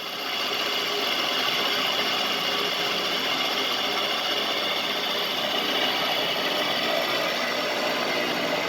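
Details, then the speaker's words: 3-axis CNC mill with Anilam 3300MK control and AC variable-speed head drive, running a light circle-mill program in mild steel at about 900 rpm spindle; steady, even hiss and chatter, servo sounds good, no knocks or surging, normal light cut. "so as you can hear the servo sounded real good got a cutting at about 900 rpm it's real light"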